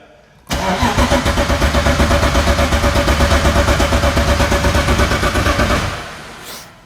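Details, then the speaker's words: BMW E36 with a turbocharged M52B28, before its first start on the new turbo setup, fresh oil and water in: the starter cranks with the power switch off to build oil pressure. Steady cranking with even compression pulses and no firing. "Yeah, we're going to just build up some oil pressure, so we'll crank it over without any power."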